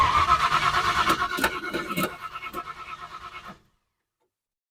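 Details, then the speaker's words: 1970 Ford Falcon with 5.0 small-block swap after carb clean, fuel filter still dry: even cranking at about three beats a second for over three seconds, never fires; no spark, traced to the wiring. "well I'm an absolute idiot uh it doesn't do any good when you're cranking it over and trying to get fuel into the carb if your wirin"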